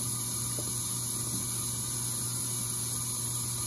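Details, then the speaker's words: KitchenAid dishwasher after water fill valve replacement for not filling, first fill cycle: steady even hiss of incoming water over low hum, no chatter or buzzing; fills normally. "all right it's on the first fill cycle there the water coming in"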